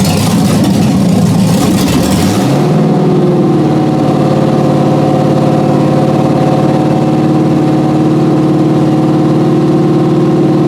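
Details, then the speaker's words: 1991 Porsche 944 S2 with swapped Chevy 6.0 LS L77 V8, first start in over a year after clutch work and new injector O-rings, open headers: cranks, catches after two seconds, loud even lumpy idle; healthy. "[Music] well still runs let's see if anything's leaking out of the bottom"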